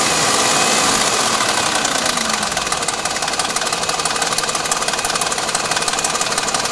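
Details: 2000 BMW 740iL idling with a light, sharp tick about three times a second from the top end, stopping around 2500 rpm and above; owner suspects chain guides or VANOS, not confirmed.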